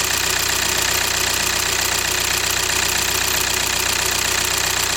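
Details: VW/Audi 2.0 TDI CKRA diesel started after oil filter housing replacement, with coolant slightly overfilled: steady, even idle with light injector clatter and a regular beat, no misses. Normal diesel idle.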